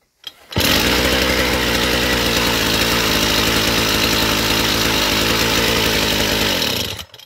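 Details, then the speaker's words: Chinese two-stroke brush cutter, cold start with choke, before carburetor adjustment: steady, fast, high-pitched buzz never settling to low idle; throttle set too far open, idling too fast. "Запуск есть, всё работает. Да, но нам же ж надо отрегулировать, чтобы всё теперь идеально было, потому что слишком много холостого у нас."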